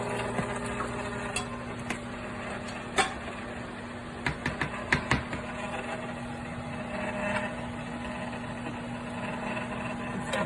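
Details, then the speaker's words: Cuisinart frozen yogurt and ice cream maker churning a thickening chocolate mix: steady, even motor hum with light clicks from the paddle; normal running, owner calls it a bit loud but not bad. "It's a bit loud. Not bad. But it's mixing."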